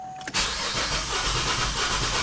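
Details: 2008 GMC Acadia with a random misfire code, after a recent PCV valve change: cranking in clear-flood mode with the accelerator floored for a battery voltage-drop relative compression test. Slightly uneven cranking beat, one cylinder pushing back less; low compression on cylinder #3.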